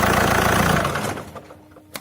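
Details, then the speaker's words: Alfa Romeo 156 diesel with new flywheel, shutdown with the function held: engine shakes and thumps winding down, then a final knock; this shudder can fail engine mounts and flywheel. "you will hear the difference when you shut off the engine mind you this flywheel is new so the shutter will be not be as hearable as it could be"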